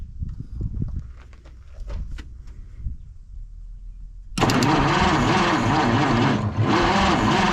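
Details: Slow, laboured starter turnover on a 1953 Studebaker Starliner, off the road possibly 45 years, on 6-volt system with possibly original plugs, wires and dirty points; steady churning, no cylinder catches. Cranks, no start; owner suspects dirty points giving inconsistent spark.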